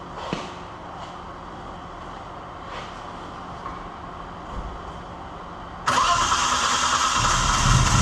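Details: Holden LX Torana 202 six, rebuilt with adjustable roller rockers and Holley Sniper, run briefly without rocker cover or water pump to check rocker adjustment. Quiet, then it fires and settles into a steady, even run. No knocks or rattles, healthy.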